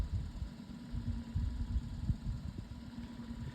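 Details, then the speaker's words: Modified Lasko 18-inch pedestal fan on high speed: a low, uneven throbbing thump under the fan's hum pulses as it spins, pointing to a blade wobbling loose on its shaft. "I'll go ahead and turn it on just to prove to you guys that it doesn't work. I need it on. I can hear the blade in line, too."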